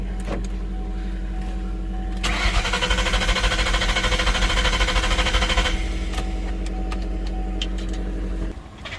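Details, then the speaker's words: 2000 Ford Mustang GT after a transmission and new clutch install, exhaust unhooked from the H-pipe back, dash lights flashing. The starter spins the engine steadily with strong compression but it never catches; crank no start, cause not yet confirmed. "well I have the exhaust unhooked from the hpip back and I was going to run like that but it's not trying to start"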